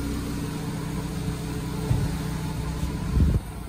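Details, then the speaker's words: 2010 Nissan Grand Livina after replacing the flood-damaged, worn alternator bearing: idling with hood open and AC compressor running. Steady, even idle with no grinding or whirring from the belt side; normal. "Kita coba hidupkan AC-nya. Ini posisi AC hidup. Posisi AC hidup juga suaranya normal."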